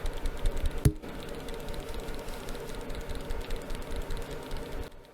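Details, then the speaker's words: Renewed Samsung S10 phone being shaken: irregular light clicks, two or three a second, as something loose near the camera rattles inside. Source unknown; internal rattle when shaken. "there's a slight rattle in the camera I don't know where what's rattling keep blowing out the microphone um but something in here is rattling I don't know what it is but something is"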